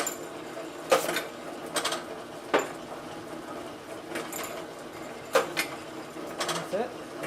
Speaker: the advent 300 labeling all these containers i think close to about 20 right here and they all look absolutely perfect adhesion no bubbles no wrinkles